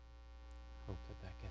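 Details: Live-stream audio with a steady low electrical buzz and a faint hiss on top. It is mains hum; the host unplugs a USB-C charger board and his headphones from the mixer hoping to fix it. Cause unconfirmed.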